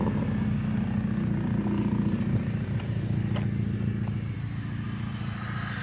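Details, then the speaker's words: K24 K-series swapped car, freshly completed, full 3-inch straight exhaust with no cat, fuel pressure set around 50: steady, even raspy idle with no misfire, stumble or tapping, running really good. "oh so runs real good um i got full 3-inch exhaust no cad or nothing so it's just straight exhaust"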